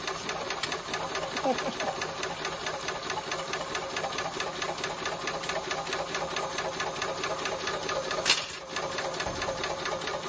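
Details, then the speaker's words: Maxitrak 5-inch Alice steam locomotive, brand new, on air with cold water, check valve nut undone: light quick ticking about one beat a second, even; axle pump working normally, giving a quick shower of water. "so if you open this little valve up open this little nut off you should get quite a lot of water you know that's pumping quick shower"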